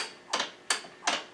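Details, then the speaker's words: 2010 Yamaha YZ450, top end rebuilt last year: four sharp, dry clicks about every third of a second as the kickstarter sweeps past without biting. The ratchet is slipping instead of engaging; the suspected cause is dirt packed in the mechanism, unconfirmed. "it's going past where it should be going it should there but it oh caught there I think it's just full of crap"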